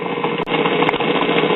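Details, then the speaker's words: 1950s Waters-Conley (Phonola/Silvertone branded) record player with dead cartridge: continuous rough rumbling whirr with uneven thumps, no music playing; dented rubber idler wheels make the drive mechanism noisy. "the sound of the sound of this noisy drive mechanism is actually more entertaining than with the Merkel here"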